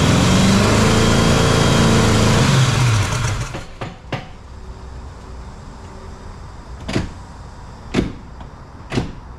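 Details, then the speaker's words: Jeep XJ with swapped 350 V8, first startup, distributor loose: it catches and runs rough and lumpy for under three seconds, then dies with a few clunks. Only some cylinders fire; number one appears not to fire, and only the cylinders with compression work. "Okay, first startup was so-so. It does start. It's definitely running on only a couple of the cylinders. Looks like number one's not firing."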